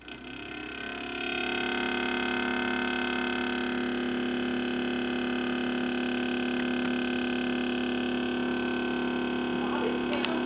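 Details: Sears Kenmore Elite French door refrigerator, 18 months old: loud, steady hum with several fixed tones that rises as the unit starts and holds without change; abnormally loud humming noise.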